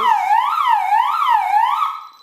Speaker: trenimiz direkt ötmeye başlar panelimiz yine alarm izleme merkezi ne bağlıysa izleme merkezi tarafından polis yönlendirmesi yapılır